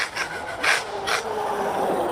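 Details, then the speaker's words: Traxxas Sledge with 2200kV motor, stock pinion, 6S 5000mAh 60C LiPo: driving forward gives harsh gritty grinding over motor whine, rising in bursts with throttle, while reverse is fine; blown rear differential. "So y'all, I just want to let y'all know my rear diff is gone in this Sledge. Listen to this. It's gone. I know it's the rear diff."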